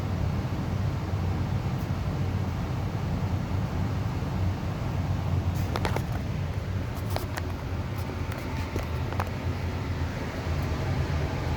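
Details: Amana 95 IIQ two-stage variable-speed gas furnace after burner shutdown: steady smooth low whooshing hum, no rattles or scraping, as the blower coasts cooling the heat exchanger and slowly turns off; normal run-on.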